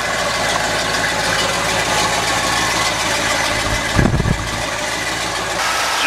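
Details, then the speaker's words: 1978 Dodge with rare diesel at idle: smooth, steady, even low beat, no knocks or ticks; quiet, well-behaved, healthy engine. "it's a quiet little dog oh yeah i'm sure it is oh it is it's actually well behaved it's quieter than your car i think"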